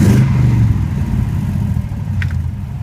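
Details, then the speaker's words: 1986 BMW 535i e28 with Chevy 5.3L L33 V8, 4L80E, side pipes, idling about 800 rpm: deep burble swells on throttle blip and settles evenly, no misfire or knock; small exhaust leak at V-band clamp noted; healthy rev. "you come up front here you can see that it's running nice and smooth"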